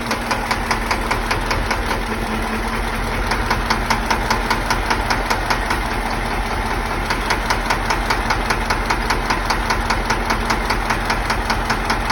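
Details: Diesel engine developed a knock: sharp, even knocking about two and a half per second over a steady idle, blamed on a faulty injector.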